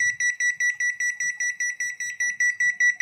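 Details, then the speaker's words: Automatic washing machine control PCB, repaired after a faulty start button caused voltage fluctuations so it wouldn't power on, now fed separate supply: fast, even string of high, clear beeps, about five a second, normal power-up. "इसको मैंने अलग से supply दी है, तो इसमें beep की आवाज़ आई है।"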